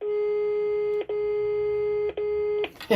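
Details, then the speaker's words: HDL intercom/door-station central after its power supply was repaired; dial tone checked by touching a speakerphone's lead to the extension terminals. A clean, steady single tone is heard, broken briefly by contact, so the line works normally. "Agora se eu encostar aqui tem que ter tom. Beleza. Funcionando."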